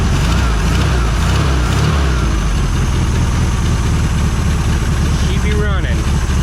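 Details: 1973 VW Super Beetle air-cooled engine, still a little cold, just restarted after running badly and stopping: steady, even low putter with a smooth regular beat and no knocks or misses, a normal idle.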